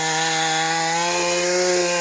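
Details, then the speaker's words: Mantis tiller two-stroke after carburetor cleaning and shattered-piston replacement, digging hard ground: high steady drone holds pitch without bogging or misfiring; normal running under load. "This is an impressive little tiller. I think our fix with the piston works just fine."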